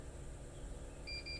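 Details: Snapper XD 82V electric mower that won't start: two short high beeps over a quiet room hum, a no-start error apparently from the handle lever switch on the right side near where handle meets mower.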